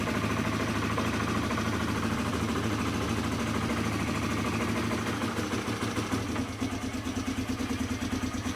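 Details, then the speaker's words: 2006 Polaris Hawkeye after belt replacement, jump-started: starts right away and settles into a steady even single-cylinder idle with no stumble or knock; normal idle. "away I have never had an issue with this thing not wanting to start except for when the battery's dead or when the choke is stuck and won't pull"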